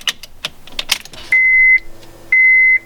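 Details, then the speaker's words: Honda CL9 automatic-to-manual swap, key turned on after rewiring; key click, then two sharp high beeps about a second apart over a faint low fuel pump priming hum, a warning beep the owner wants removed: warning beep at key-on. "pump, annoying beeping sound that I want to get rid of."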